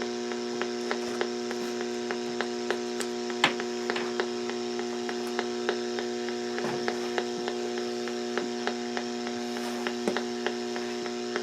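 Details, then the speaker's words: AM radio near A&H 12 V 4 A switch-mode pulse repair charger in pulse mode, ferrites on output and AC lines having no effect; steady hum with irregular sharp clicks and crackle: RF likely radiated from inside the charger body. "it's probably being radiated from the inside of the body of this thing so there's not much I can do especially in the pulse mode"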